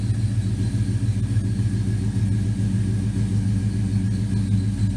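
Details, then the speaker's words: 1979 Firebird Esprit, 5.3 V8 swap with Powerglide, shorty headers, straight 2.25in duals, cold idle at about 30°C with O2 sensor not installed and open loop disabled; smooth even rumble, no misses or knocks, good vacuum, idle spot on. "good vacuum idle seems pretty spot on as it heats up"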